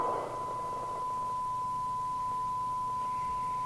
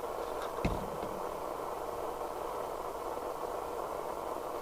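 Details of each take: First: President KP77 UK FM CB base station restored from scrap chassis: receiver producing a clean steady tone around 1 kHz, no hiss, crackle or distortion; receiver working properly. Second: Restored scrap-chassis President KP77 UK FM CB base station on the extension speaker: a steady, even hiss with no signal behind it, so FM receive audio is noisy and poor. Capacitors are suspected but not confirmed.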